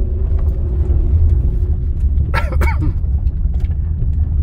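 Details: 2007 Honda Ridgeline AWD on road test at low speed, tight turn under light load; steady low rumble with groaning moan rising then fading from rear; rear differential clutch noise per Honda bulletin, fix is differential fluid change.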